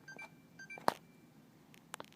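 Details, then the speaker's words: Xbox 360 console after plugging in power brick, orange light on: power button pressed with a click, then repeated short high beeps and it fails to turn on. "not working if you can hear it it is beeping a lot"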